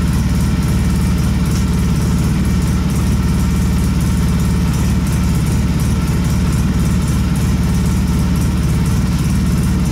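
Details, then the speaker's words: Polaris Sportsman 700 after HMF fuel controller installation: deep, even, bassy idle at a steady low beat with no knocks, ticks or misses; idle rpm seems lower than before, running smoothly. "It sounds like it's running a bit lower too, like lower RPM at idle, which is kind of sweet."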